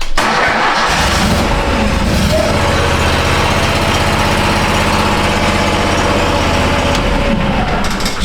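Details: 2013 Steiner 440 air-cooled tractor, previously crank no-start with no fuel delivery, now catches quickly on first crank and settles into a steady, even idle with no misses or knocks.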